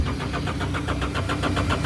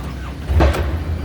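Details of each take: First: John Deere loader: steady cranking at about four compression beats a second that never catches; the fuel shutoff solenoid isn't pulling in, likely from failed magnets. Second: John Deere loader that was cranking without starting: with the key one click forward and the fuel shutoff solenoid pushed in by hand, a brief crank catches into a steady low rumble. This suggests a failing fuel shutoff solenoid.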